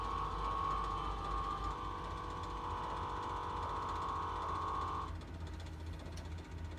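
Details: 2016 IC CE bus with a Cummins 6.7L diesel, after a rusted fuel tank led to replacement of the tank, lines, fuel rail, filter and fuel/water separator. Steady starter whir with about four even compression beats a second for five seconds, never catching. Hard start, cause unclear.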